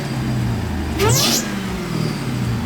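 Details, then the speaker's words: 1000 hp Jeep Trackhawk at idle: steady V8 idle with a short, high, rising squeak from the blower, meaning worn supercharger bearings needing replacement. "that's what's wrong with it do you guys hear that that little squeaking noise that's coming from the blower which means we got to change the bearings"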